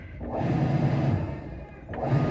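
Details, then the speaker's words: Winia washing machine after repair, previously washing slowly with noise: two smooth agitation strokes with low even motor hum and short pause, no rubbing or grinding; normal wash agitation. "como ven ahí ya está girando bien el motor ya no se escucha el ruido amigos"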